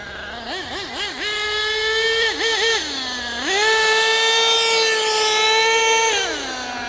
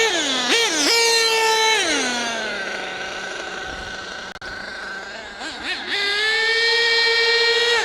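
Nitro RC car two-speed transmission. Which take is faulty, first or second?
first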